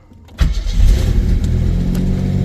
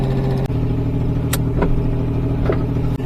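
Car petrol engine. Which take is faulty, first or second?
second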